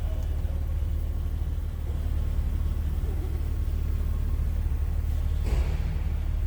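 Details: 1984 BMW 325e, 2.7L inline six with a Getrag 5-speed manual, 105,000 miles: a low, even rumble with a steady beat and no misses, knocks or whine. A smooth, healthy idle.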